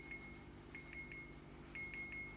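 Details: Secondhand fridge keeps sounding short high-pitched beeps in repeating groups of about three, a second or so apart; continuous alarm, cause unknown.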